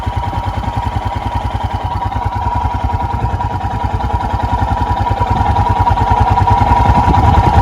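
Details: 2021 EFI Royal Enfield Himalayan single, a little over a minute after cold start with the choke/idle lever: quick, regular thumping at a steady raised idle around 1200 rpm, slightly louder; normal fast idle warm-up.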